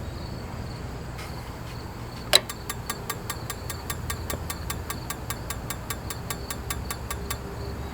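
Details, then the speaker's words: Camper RV igniter after reassembly: sharp even ticking about four times a second but no visible spark; electrodes not checked and look too close, gap to be opened to about 3/16; igniter electrode gap too narrow, no spark. "I can hear it striking but I don't see it striking I don't see any spark me uh don't get barded take his screw back out cuz I did not look to make sure the electrodes were adjusted"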